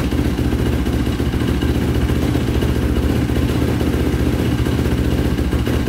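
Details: 2005 Yamaha YFZ450 big-bore single after rebuild, carburetor refitted (owner suspects a clogged pilot jet): steady thump at about four beats a second, neither stalling nor surging; pipe starting to glow red.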